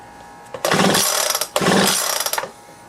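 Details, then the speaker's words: Leaf blower after cleaning debris from it and reassembling, choke set, pull-start attempt: two quick rasping recoil pulls with ratcheting whirr, no firing or catch; cranks but won't start, spark to be checked next. "it doesn't look like it's trying so i'm gonna check for spark"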